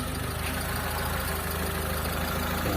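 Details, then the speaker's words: Car with a carburetor that was out of tune and hard starting, after carb tuning: now one-click start, quiet, even idle with regular low pulse, no stumbles, misses or knocks. "mga boss walang palag yung makina natin tapos ayan umaandar yan oh umaandar [Musika] tahimik na tahimik mga boss"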